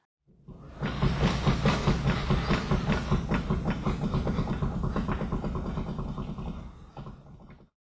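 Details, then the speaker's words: Front wheel hub rocked back and forth by the brake rotor: quick, repeated dull clunks, about two or three a second, from play in a worn outer tie rod end. "the best way to check for play is to grab the front and rear of your brake rotor or your wheel if you didn't remove it and just rock it back and forth see if you can see anything moving or hear any clunks now take a listen to the noise that mine was making"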